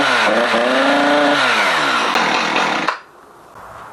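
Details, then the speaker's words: Husqvarna 455 Rancher chainsaw, revved outside: engine climbs to a buzzing howl but plateaus, won't reach proper top-end RPM and drops off. Removing the air filter didn't help. "but the main thing is the top end of this thing is just it's got no it's got no guts you throttle it up and it's it's not reaching a proper RPM"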